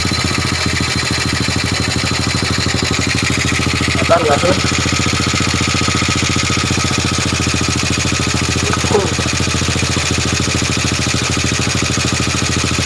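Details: Old Honda Supra motorbike with a suspected valve compression leak (valve gap checked fine): small single idles with a steady, even putter and no knocks or misses; engine sounds healthy at idle.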